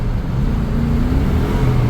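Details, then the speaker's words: 1997 Chevrolet K1500 5.7L Vortec V8, 4L60 transmission rebuilt under 10,000 miles ago, new speed sensor; under load engine holds steady high drone with no rev drop, stuck in third and refusing upshift to fourth after rough 1-2 shift. "Does not want to go into fourth gear. And when it does go into fourth gear, you get this"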